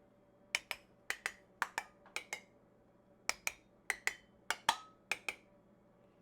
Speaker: so I'm sure you can tell that this one sounds different so these are sealed high pitch this one it just has a flat low pitch sound and that is the indication that it is unsealed